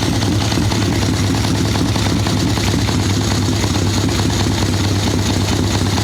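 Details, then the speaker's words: Harley Ironhead Sportster chopper with Mikuni VM38 carb, cold day, idle circuit tuning, choke off: loping, uneven idle that thumps and sags with soft muffled note, boggy; rich mixture, owner unsure it is only the carb. "A little boggy for sure. She's not happy at all."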